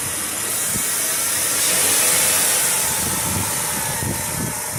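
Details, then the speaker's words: 2010 Chrysler Town & Country, 3.8L V6, 110,000 miles, after fitting a second replacement 160 amp alternator (the first remanufactured one was loud and ran very hot): steady even idle, smooth hiss, no whine or squeal; normal. "so we bought another alternator installed it and now it sounds like this"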